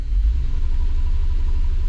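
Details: 2006 Subaru B9 Tribeca running poorly: lumpy, uneven idle with rhythmic low stumble; misfire counts climbing on cylinder one, some on six and three, multiple misfires, one dead cylinder; compression checks to follow.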